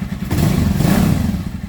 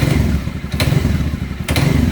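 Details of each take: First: Dafra Horizon 150 single (CG 150-type engine), which rattled like a knocking con-rod only when revving up, now climbs smoothly and evenly with no rattle after the worn counterbalance shaft repair spring and parts were replaced with Honda parts. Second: Dafra Horizon 150 (CG 150-type engine) under throttle rise, idle and mid rpm fine: low thumping with sharp metallic clacks; balancer shaft rattle from counterbalance play, damper springs to be replaced with original Honda repair kit.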